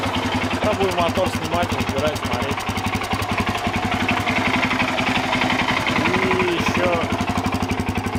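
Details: Suzuki DR-Z400 single-cylinder warming up at idle before an oil change, with a hard, regular knock about three times a second; teardown showed connecting rod bearing play (rod knock) and a scored piston and cylinder.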